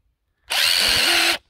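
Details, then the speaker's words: Hilti SID 4-A22 impact driver losing power: high-pitched motor run under a second with uneven rough knocking; drywall dust fouling the switch and motor, fixed by cleaning with contact cleaner. "Hear that? She's not happy. What I'm going to attempt to do is make this run better by opening it up and cleaning it out with contact cleaner."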